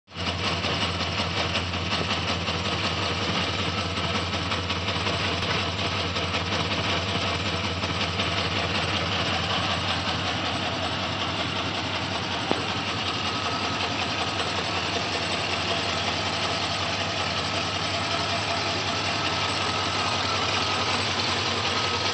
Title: 04 Silverado 6.0 ticking noise at idle